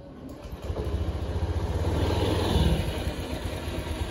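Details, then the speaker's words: Honda Beat fuel-injected scooter bored up to 130cc with stock exhaust, started and revved: uneven, gravelly rumble swelling with engine speed; CVT sounds rough and is to be opened and cleaned, cause suspected, not confirmed. "jadi ini suaranya Udah mulai kasar ini mau dibuka sebelumnya lalu dibersihkan"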